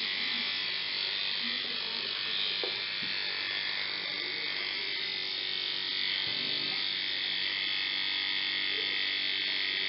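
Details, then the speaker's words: 1950s Federal Beacon Ray motor, heavily neglected, first run after repair: even high-pitched whir with scratchy, raspy hiss on top; new carbon brushes not yet seated snug against the commutator, noise expected to fade as they bed in. "these brushes have been receded so they're not fitting snug against the commentators sake when every fix the motor is always a little noisy first but the more it's run the choir it would get"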